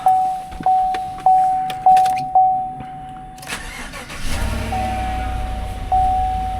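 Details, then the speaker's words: Used pickup at an auction, cold start, later found to have had its codes cleared 49 miles ago: a few chime pings, then the V8 catches cleanly into a steady fast idle, allowed to come down, with no knocks or misses; sounds okay. "Let her come down a little here and re-listen to that. I would say that sounds okay."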